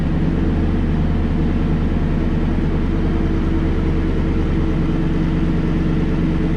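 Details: 2016 Toyota Tundra Platinum 5.7 iForce V8 idling just after Corsa 14916 sport exhaust install, first start: deep, even burble holding steady with no misses, ticks or knocks; healthy idle.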